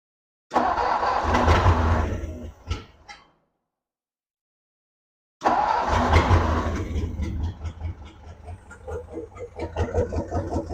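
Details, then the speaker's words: 1957 Ford Thunderbird parked over 50 years, with the carburetor bowls filled, a suspected non-working accelerator pump and a massive fuel leak from the carburetor base plate or a bowl: it cranks, catches, runs rough and dies, then restarts with uneven, lumpy firing; carburetor work needed. "I obviously have some carburetor work to do I'm going to try to tighten a couple screws first and see if that fixes the issue"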